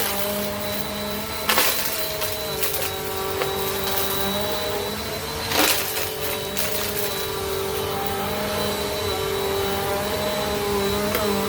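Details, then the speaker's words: 2017 Bissell Powerforce Compact 2112 after its brushroll refurbishment, running on carpet: a steady motor whir with wavering tones and an odd thump. A weird noise remains; the cause has not been identified. "So play with it a little bit, and I think you can figure out a way to eliminate all or most of that weird noise."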